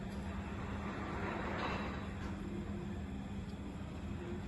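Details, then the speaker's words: BFT Virgo Smart swing gate opener on a small demonstration gate, during its first auto-set run: low, steady motor hum at one pitch as the gate travels slowly, no grinding; it speeds up once it finds its limit switches. "the gate will open up still traveling a little bit slow for a second while it's doing its first run of auto set until it finds its limit switches and then you will see it speed up shortly"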